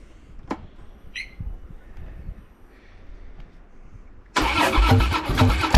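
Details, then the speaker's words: Harley-Davidson Dyna Street Bob special, crashed, reportedly heavily built engine, unrun for months on possibly stale fuel: catches abruptly and settles into a loud, lumpy, uneven V-twin lope; starts and runs. "Pretty happy to know that it starts and runs. She sounds like she's had a bit of engine work done, so I wouldn't mind knowing more about what's done to it."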